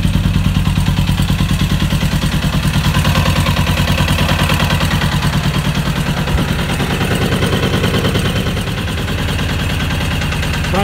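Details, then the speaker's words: 1996 Suzuki RF900R, carburetors not yet cleaned: loud, lumpy running with uneven pulses about three per second, wavering and sagging, not holding steady idle; carburetors suspected; rough unstable running. "success. Could make her fire up. She's roaring already. But yeah. It's not uh sturdy enough. stable yet. But luckily she's running."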